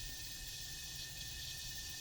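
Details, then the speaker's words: Airbrush being flushed at full air: steady clean airy hiss with no spitting or sputter, meaning the cup is empty; spraying on cardboard shows nothing wet, so it's flushed and ready. "and then you can kind of hear the air hissing, so I know that I'm out of stuff."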